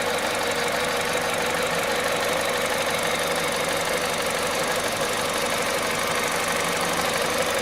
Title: bruit moteur froid VTI 120 à 98500KM.